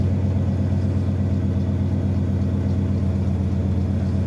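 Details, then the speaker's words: Ford Econoline van with fuel-injected 302 V8, cold start, one glass-pack muffler and dual tailpipes: deep, steady V8 burble with an even beat, no misses or ticks, idling down smoothly; normal idle. "All right, here idling down. Look at that. Boom. Good old van. She's going to idle right down nice."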